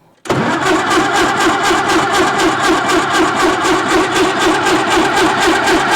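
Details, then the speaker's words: 1950s Caterpillar Traxcavator track loader diesel, long unused, started on 24 volts: fires straight away and holds an even idle, about four pulses a second, no misses or knocks; runs with oil pressure, water temperature still low, normal start and idle. "go sweet yeah she runs looks like we got oil pressure"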